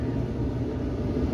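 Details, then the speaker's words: Samsung dryer DV45H7000EWA2, empty drum, after replacing the idler pulley and drum rollers: a steady, even low rumble with no squeak, rubbing or rumbling noise. Normal drum running. "not a squeak not a rubbing sound not a rumbling sound that's perfect"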